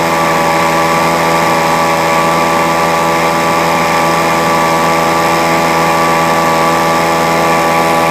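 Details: Leaf blower that wouldn't start, started by spraying deodorant as starting fluid: small two-stroke running at a steady high buzz with an even note and no misses, holding speed fine after starting.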